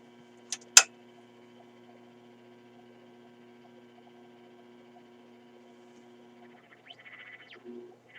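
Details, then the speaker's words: RCA Victor 94BT1 radio during alignment, signal generator feeding a 1000 Hz tone, tuned near 600 kc, 76 V on the B+ supply: a steady low hum sits under everything and no test tone comes through. Unexplained at this point. "I don't quite understand why we're not hearing the tone hmm"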